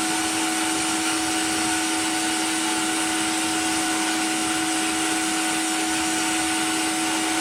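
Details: Cheap blaster cabinet blasting a small metal piece, vacuum extractor on, pressure uncertain from unreliable gauge: constant vacuum howl with steady mid-pitched tone and airy grit hiss; extractor and blaster running normally.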